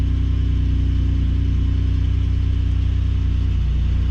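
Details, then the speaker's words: Ford Raptor at Copart, possibly EcoBoost V6, just started: low, even idle rumble with steady pulse, no ticking, misfire or hunting; sounds good. Normal idle. "so you can definitely tell what this thing she sounds good"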